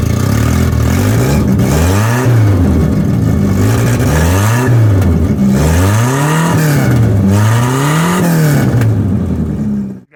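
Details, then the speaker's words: Volvo 245 wagon before an exhaust replacement: repeated revs with a loud, coarse, raspy exhaust roar swelling with speed, owner says it drones badly on the highway; exhaust leak. "do the exhaust because this thing drones really bad on the highway it gives me a headache"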